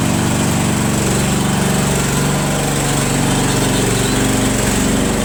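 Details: Craftsman Trac Plus 23-inch dual-stage snowblower with a 5HP Tecumseh, cold first start after sitting about a year with year-old gas, runs normally with a steady, even buzz and no miss; the fuel shutoff valve is leaking.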